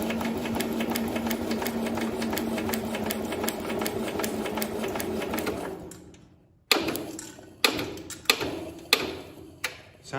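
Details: Cub Cadet 127 engine with the head removed for head gasket replacement, cranked over: even, steady clatter with no heavy knocks or irregular thumps, and no oil pulling up. The bottom end sounds sound.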